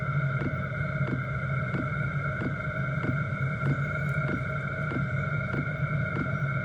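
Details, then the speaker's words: Chinese diesel heater in portable overland build, about four minutes running in warm-up cycle, hot air 99 and exhaust 113 degrees: steady blower whir with soft even fuel pump tick every two-thirds of a second; normal combustion. "uh it's now been running for a grand total of about four minutes still running through its warm-up cycle"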